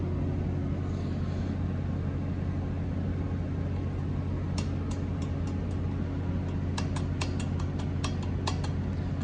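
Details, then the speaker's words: John Deere 1025R tractor idling with a low drone; sharp, uneven metallic ticks start partway through, a front driveshaft carrier bearing rattle caused by nuts that had come loose, which then ruined the bearings. "So these nuts had come loose causing that which started rattling"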